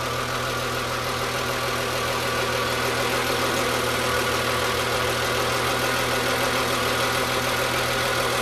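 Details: Hot BMW M3 E36 engine, air pump disconnected, idling steadily with a light, fairly regular ticking about 200 a minute over the hum; source unclear: engine noise at hot idle.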